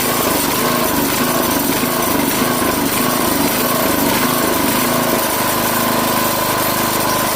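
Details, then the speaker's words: Craftsman 5hp tiller after quick carburetor clean: small single-cylinder runs unevenly, surging and stumbling on more than quarter choke instead of holding speed; carburetor still partly clogged. "Alright, so just running it there, you can hear it's still stumbling a little bit more on more than a quarter choke, so there is still a partial clog in it."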